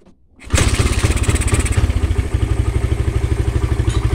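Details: Suzuki Satria FU, whose complaint is stumbling and refusing throttle despite carb cleaning and new plug: cranks briefly, catches at once, settles into an even steady idle thump about twice a second with no misses; normal start and idle.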